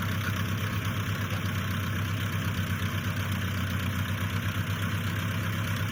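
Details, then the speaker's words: 1955 Massey Ferguson MF65 tractor after a carburetor rebuild and new points and spark plugs: settles into a steady, even low idle with no knocks, stumbles or misses. Running healthy. "Um so, yeah, it's a sweet old tractor. Wish you guys could smell what it smells like. Just varnish, rusty gas, but it runs awesome."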